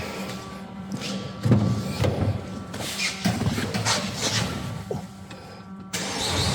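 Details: Peugeot 1.6 HDi diesel after a crank-no-start repair using an aftermarket part, fault codes cleared: it cranks briefly, catches cleanly and settles into an even idle with no misses or knocks; starts and runs normally.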